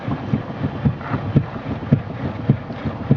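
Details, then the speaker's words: 2001 Chevy Malibu at standstill, steering wheel swung side to side: dull, heavy, decided clunks about twice a second, also heard over bumps; loose passenger-side steering rack mount, rack moving on the subframe. "know if you can hear that very well or not but a very decided clunk clunk"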